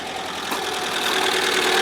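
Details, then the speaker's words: 1997 Ford Escort LX wagon, rebuilt after an accident and blown head gasket, first start after the rebuild: fast light valve-train ticking over a rising idle, expected to quiet as oil pressure comes up. "Give it a second for that valve train noise to go away. Feel the oil pressure. Think it's normal?"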